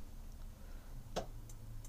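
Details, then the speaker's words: Elddis Avante 566 caravan fridge switched to gas: one sharp click, then lighter ticks about three a second from the gas igniter in a quiet room; normal ignition. "we'll hear that ticking and then actually the life to upon me on the gas"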